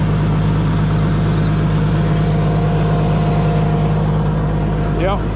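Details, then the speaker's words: Tractor, early morning, idling smooth and even with a steady low drone, no misses or stumbles; when picked up it had a slight miss and high idle that cleared after running for a while. "cool smooth running tractor when I picked it up it had a little Miss and high idle"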